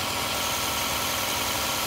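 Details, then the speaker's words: 2007 Toyota Camry Hybrid (fifth VIN digit B), no warning lights: steady unbroken whirring from ABS pump running constantly, even cycling with car off; owner suspects ABS actuator/module failing, not confirmed. "it is constantly burning wearing noise which is the much content people put on everything i've read it sounds like the abs module is going out"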